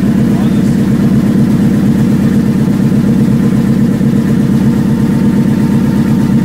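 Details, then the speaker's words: Factory Five Mk4 roadster V8 at its first start, oil pressure down to 65 psi: rapid steady ticking over a rough idle, about three clicks a second; an exhaust leak, probably at the header collector. "right here we have an exhaust leak over there click click click hear it it's probably coming out of the collector it's okay"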